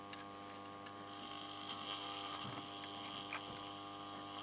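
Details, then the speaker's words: 1947 Astor Mickey valve radio, 6X5 rectifier swapped for a 5Y3, brought up slowly to about 160 V: steady low buzz with even harmonic tones, mains hum; owner plans to replace the two main filter capacitors. Works, but not well. "getting some buzzing we go we'll uh turn that off well it does work okay not real well"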